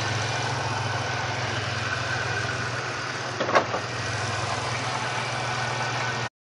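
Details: 1999 Grand Prix SC 3.8, whose misfire was traced to a bad ignition coil (#1-4): steady, even idle with a smooth low hum and no stumble or skipped beats; normal idle.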